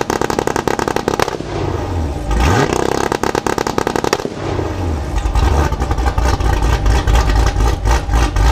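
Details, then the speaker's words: 2019 Camaro SS, ported heads, stage 3 cam, 1 7/8 headers, catless X-pipe, E85, nitrous kit; two-step at 2500 rpm gives loud rapid exhaust cracks and pops about four a second; healthy launch limiter. "Wow now I was inside the car with the windows up and I could hear that those pups are insane"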